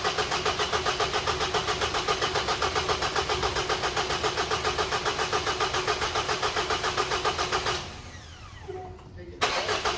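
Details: Engine with customer complaint of rattling, after repair with timing cover resealed, sealant cured overnight, fresh oil added: catches and runs with an even, steady pulse and no obvious rattle, switched off after about eight seconds; normal idle.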